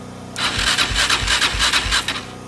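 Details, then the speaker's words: Single-cylinder Raptor 660 ATV engine, burned in a house fire, fires evenly for about two seconds before dying, generator humming behind. Sounds healthy for a moment. "darn thing survived the fire that is awesome sounded just fine for a second on that starter fluid"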